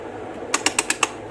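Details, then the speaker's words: GMC BM-503 56-inch industrial ceiling fan speed regulator gives five quick bright metallic clicks about eight per second, crisp and even, with spark-like crackle typical of GMC; regulator still works normally. "regulator tersebut masih berfungsi dengan baik. Terdengar suara gemerincing seperti percikan api. Khas GMC, kan."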